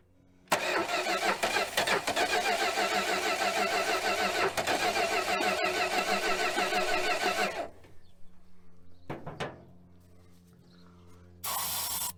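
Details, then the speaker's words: 1966 Dodge Coronet V8 that sat 20+ years, on starting fluid with the starter previously jumped. The starter grinds, then the engine catches and runs rough for about seven seconds before dying. It later idles, leaking and smoking; carb needs work. "it's alive and idling and leaking from everywhere already i don't know if you can hear that but she's definitely leaking definitely smoking the crazy thing is it doesn't run half bad"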